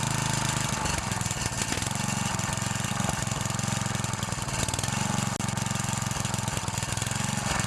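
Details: 9HP Tecumseh Snowking single-cylinder engine, first test run after connecting rod replacement, with a new Champion RJ19LM spark plug gapped at 30 and fresh oil: catches and settles into a steady, even putter with no knocking; runs smoothly.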